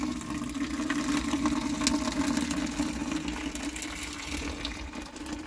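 Steady low hum with water gushing into a bucket, even flow and no surging or rattle; the small pump is delivering normally.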